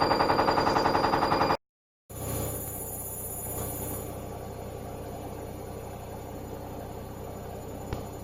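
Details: Four-month-old Hoover Dynamic Next washing machine: fast, even knocking about three and a half per second while the drum turns, then it quietens. Caused by poor drum suspension, which is also used on some Candy machines.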